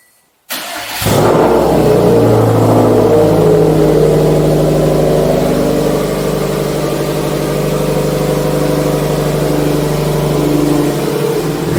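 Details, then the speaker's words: Subaru STI with Tomei exhaust, after troubleshooting an exhaust leak and fitting new gaskets, started off the lift: short crank, then a loud, deep, even exhaust rumble through the revs with no puffing or ticking; the exhaust is sealed and healthy. "Just got to get her off the lift and hear her start. Loud, Well, it's a good loud. huh? Neighbors aren't going to like me though for this."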